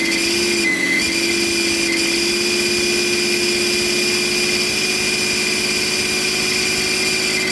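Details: BMW E38 M57 3.0 diesel idling with a rebuilt turbocharger whining like the old one; thin steady high-pitched whistle over the engine. Unplugging the variable-geometry control valve connector silences it, reconnecting brings it back; cause not pinned down.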